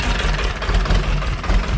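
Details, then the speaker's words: 30hp Deutz two-cylinder diesel on a homebuilt hydraulic log splitter, full oil pressure, idle lowered after a bolt was holding it up; low steady thump with even pulses, no knocks or misses. Normal idle, no leaks. "oh we got all the oil pressure so it is down at idle that bolt was holding it up"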